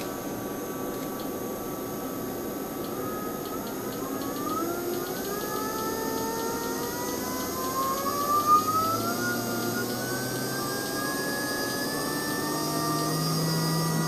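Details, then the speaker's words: Three-phase brushless motor on a 12V-36V 500W brushless controller, speed raised via 0-5 V speed input: smooth clean whine climbing steadily in pitch, spinning up evenly with no roughness; normal running at high speed. "now if I will change a the voltage for the speed which is from 0 to 5 volt so it will change the speed and you will be able I think to hear it so let's do it"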